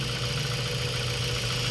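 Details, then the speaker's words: Mazda 3 1.6 four-cylinder after a Japan-surplus cylinder head replaced one with low compression on cylinders 2 and 3 that caused heavy vibration: steady, even idle, smooth low hum, no shake or misfire beat; vibration gone, normal idle. "medyo ginabi na tayo kaya ayan mga boss wala na yung vibration"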